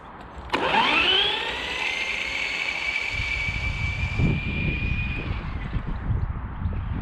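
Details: HG-101 1/10 short course truck, 550 motor on 2S, after fixing out-of-box issues (suspension adjusted, body trimmed from rubbing rear wheels), speed run about 19 km/h: motor whine climbs quickly then holds steady high tone; drivetrain smooth.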